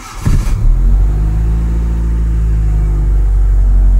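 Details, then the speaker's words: 1996 Honda City 1.5i with check engine light and erratic idle, after repair: engine catches after short crank, settles into even, low steady idle with no hunting. Normal idle. "Ayan, nawala na siya mga bossing. Okay. Tingnan natin kung magbabago-bago pa."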